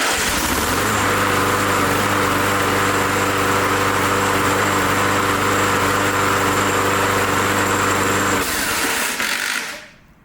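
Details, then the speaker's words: Briggs Touch-N-Mow spring-starter lawn mower, orange button pushed and bail pulled back to crank: starter catches and engine settles into a steady, even drone for about eight seconds; healthy start. "all right so here we go again I'm going to push down the orange button and pull back on the bail and it's going to crank the motor"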